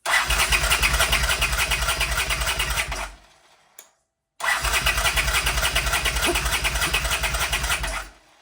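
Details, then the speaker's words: 1979 Honda CX500 motorcycle, choke not fully working even held closed manually, before ether is tried: two bursts of quick even cranking, about three turns a second, no firing; cranks but no start. "manually still nothing okay let just keep going with the plan to try some ether"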